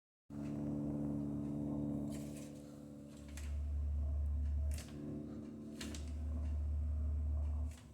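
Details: Logic combi boiler with a low, steady hum that swells and fades on its own, sometimes a deeper drone, which stops when a hand is placed on the boiler; the owner suspects something is not tight enough.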